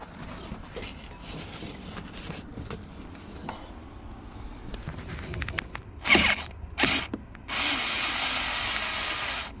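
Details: Renault Samsung SM7 (Nissan Teana/Maxima) steering wheel giving quiet, irregular creaking and ticking as it is turned, followed by short hissing bursts; steering wheel creaking noise being fixed.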